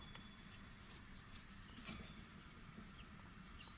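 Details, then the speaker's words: Atco GT30 ride-on mower deck, blade spindle (mandrel) turned by hand runs very quietly with only faint light ticks: a healthy bearing, smooth and quiet as it should be. "very quiet this one"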